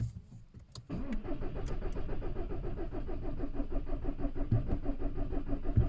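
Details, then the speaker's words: VW Caddy/Seat Ibiza 1.6 TDI CAYC diesel after cambelt and high-pressure fuel pump replacement, weak battery, pump primed; starter turns engine steadily, about three compression pulses a second, never fires; crank no start. "it sounds like it's turning over right so everything's all good fingers crossed ah batteries no good um after all that is still doing exactly the same thing"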